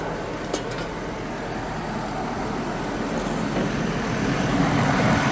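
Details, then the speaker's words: 2002 GMC Envoy 4.2 after fan clutch replacement, engine not yet warm: steady fan rush over even idle, no grinding or wobble; fan already slowing itself, fan clutch working normally. "oh it's already slowing itself up though that's good"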